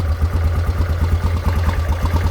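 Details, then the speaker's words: Grizzly 600 ATV just fitted with a cheap Chinese replacement carburetor, untuned: uneven, lumpy chuffing with irregular pulses, running rough; owner suspects wrong jet size (spec 115, spares 150 and 130). "It's running like shit already. Alright. Okay. I got the China carb on. Yeah, it's definitely not tuned right."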